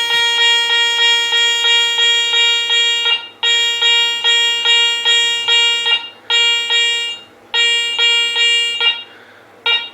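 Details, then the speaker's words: Garrett Ace 400 metal detector air test: high bright bell tone pulsing about 2.5 a second on a coin at 10.5 to 11 inches, breaking up and hitting only intermittently at a foot. "so Bell tones about 10 and a half 11 it starts to really break up and then it still hits it every once in a while at a foot"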